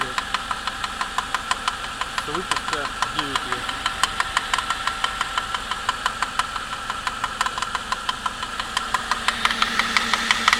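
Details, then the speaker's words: 2008 Suzuki Grand Vitara J20A 2.0 inline-four, 87,000 km, cold: sharp regular metallic tapping about three per second at idle, lasts 3-5 min, gone when warm or preheated; not chain-like, owner suspects spun crank bearings or piston slap, unconfirmed. "Вот на холодный такой стук. На горячий он пропадет, его не будет. Я вообще никаких посторонних шумов на горячий нет."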